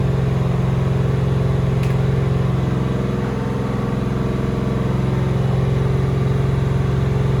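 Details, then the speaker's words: Doug Rippie 1995 Corvette LT1-383 stroker on an engine dyno (4.040" bore, flat-top Mahle pistons, 1mm rings, cam possibly a Comp 306) idling before the first pull: an even V8 rumble with no skips or smoke, firing clean and normal. "no missing or I mean we'd be able to hear in here too but outside sounds clear"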